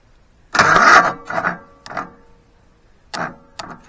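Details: Engine that hasn't run in over 15 years, starter reinstalled and hot-wired, new-to-it fuel filter: short bursts of cranking, a couple of quick turns then stops each time, never catches. Carburetor is suspected.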